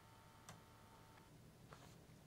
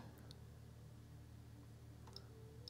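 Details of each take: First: Amiga 500 running the Amiga test kit floppy drive read test. Soft irregular head ticks and seeks, no grinding or repeated clunking. The floppy drive reads normally with no issues. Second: Amiga 500 with a Gotek drive fitted in place of the floppy to rule out the drive, Amiga test kit disk inserted. The Gotek just clicks away: quiet, sparse ticks about once a second over a low hum, nothing loads.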